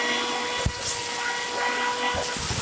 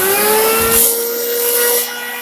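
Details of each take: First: Farmer IZE-05 grain crusher grinding corn fed in a thin stream, since corn otherwise stalls in the hopper: steady high motor whine that sags briefly as grain enters, then recovers and holds even. Normal grinding. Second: Farmer IZE-05 grain grinder on coarsest setting grinding corn poured in volume; steady motor hum with a loud grinding rush that eases after a second; grinder labours and bogs under heavy load.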